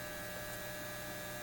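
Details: Repaired Lambda power supply on a BK Precision 8540 electronic load holding 20 amps at 5 volts, 100 watts, drawing 13.82 amps from the wall: steady angry mains buzz with harsh edge from its transformers.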